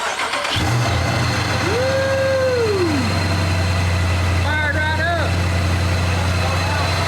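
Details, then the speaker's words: 2018 Dodge Charger Pursuit, wrecked and rebuilt, first start after a ProCharger supercharger install on the stock computer with no tune: cranks and catches, then an uneven, lumpy idle. Rough start; fuel pump and injectors are suspected of not suiting the stock computer. "just not starting up really really good because probably the fuel pump and the injectors and everything is just not working with a stock computer"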